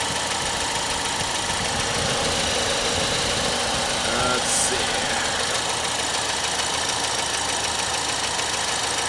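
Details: Normal idle of a 2014 Ford Escape SE 1.6 L EcoBoost after an oil change, checked underneath for leaks at the drain plug and filter, none found. Steady, even idle under a fan whoosh, no knocking or ticking.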